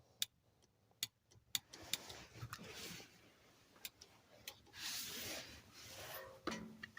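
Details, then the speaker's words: Abandoned project car, power applied: faint uneven sharp clicks from the tank with no whir; fuel pump powered but not running, suspected failed pump. "yeah I just think powered fuel pump that don't run so you hear it clicking"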